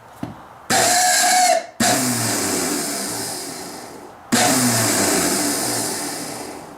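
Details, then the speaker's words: Starter from 10 HP Tecumseh Yard Machines snowblower, long unused, bench-spun after spraying: short harsh whirring bursts with rough scraping and uneven spin-down; shaft quite rusty, possibly stuck, suspected binding, starter likely in trouble. "maybe i'll put it back on plug her and give her a spin i don't get electrocuted not sounding good anyways on the inside"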